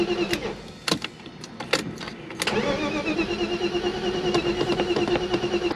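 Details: BMW E36 crank no start, cranking after swapping in a known-good ECU from a 93/94 325is. Starter whirs the engine over evenly but it never catches. Crank no start.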